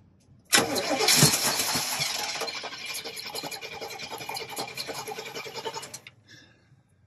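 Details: Free RV from Marketplace, first start in about 15 years on starting fluid: cranks and catches for a few seconds, then dies; likely not getting fuel, no fuel pump heard.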